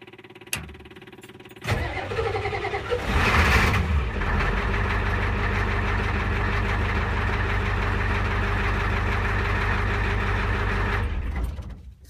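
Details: Diesel at 60°F, glowed 8 seconds, last started about 5 minutes earlier: slow cranking with a few uneven firings before it catches, then a knocking diesel idle; hard starting, cause undetermined.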